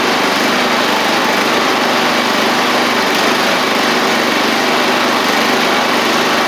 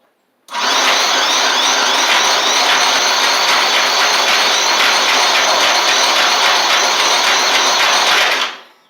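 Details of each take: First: Murray 24-inch riding mower's Briggs single-cylinder engine, revived after water in fuel and rust, with motor treatment added to the tank, running with no load: steady, even buzzy drone with a tiny surge; runs normally. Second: Murray 24-inch riding mower with Briggs engine, water in the fuel and rust in the engine: about eight seconds of steady starter whirring that never catches; owner suspects flooding and rust needing to flush out.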